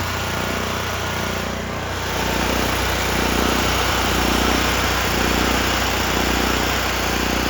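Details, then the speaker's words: Small engine drive on Victoria during tune-up, about 50°F: steady idle with slight rise and fall in speed and uneven pulses; low idle not settling, owner suspects governor or carburettor. "Well, I guess we'll call that good. I don't really use low idle anyway. And yeah, it'll be all right. I mean, I'm sure it's either the governor or the carb."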